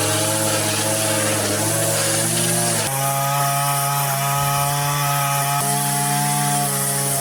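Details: Line trimmer with Arnetoli F-ONE head cutting vertical edges: smooth, high two-stroke buzz holding steady revs, dipping briefly under load and recovering cleanly; healthy, head feels less vibrating than the previous one.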